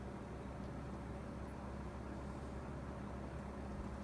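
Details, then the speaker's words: Vintage GE box fan, motor just oiled and cleaned, running on low blowing toward the viewer; very soft steady hum and airflow, no rattles or scraping; normal quiet running on low. "Nice. Very quiet. That's how we found it when we first got it. Just dirty as all heck, but quiet."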